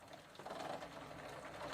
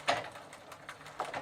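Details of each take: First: Gazelle bicycle with a Sturmey Archer 3-speed hub, after WD-40 with the shift cable detached, shifter in first, while pedalling: light uneven clicking and rattling with a few louder snaps; a loose, worn chain is suspected, and the drivetrain needs replacing. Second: Sturmey-Archer 3-speed hub on a Gazelle bicycle, after soaking with WD-40, with the shifter in third position: soft, light ticks in small irregular groups as the wheel turns. The pawls are engaging normally again.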